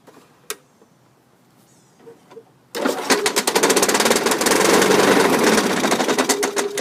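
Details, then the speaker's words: 2003 Craftsman self-propelled mower, model 917.379071, 6.25hp engine 120802, 22-inch blade, running: loud, fairly regular rattle of about four knocks a second from a loose blade bolt, with a cracked washer found underneath. "the bolts loose it's not even tight so when you're starting it you're getting this rattle from the loose bolt"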